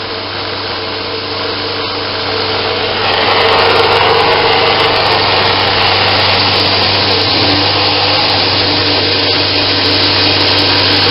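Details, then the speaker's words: Homemade 2x72 belt grinder going up to maximum speed 10 on a metal table, no rubber feet: steady high whir, belt hiss and low table hum, smooth and even; slight vibration from the back only, normal. "Let's see, we're going up to 10. That's as fast as it'll go. That sound is just the little bit of vibration back here."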